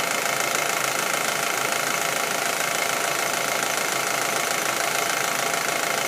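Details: Audi A4 1.8T at warm idle: fast, even light ticking over the engine note that appears when the engine gets warm; top-end tick, cause not yet pinned down.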